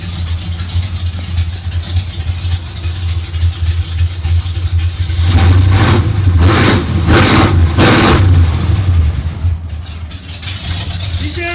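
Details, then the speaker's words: 1980 Jeep CJ5 with Holley double-pumper carb, rejetted at machine shop, owner-set timing: deep loud burble at idle with sharp throttle blips; noisy exhaust, owner thinks it still runs rich and needs smaller jets, strong fuel fumes. "good though H that's noisy but they've got a holly double pump around this thing"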